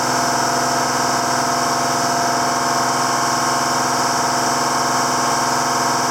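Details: 7410 diesel tractor at its first start after an in-frame engine rebuild, with the injector pump bled to the tips: steady, even diesel idle with a smooth clatter and no knocks or misses, and it runs healthy.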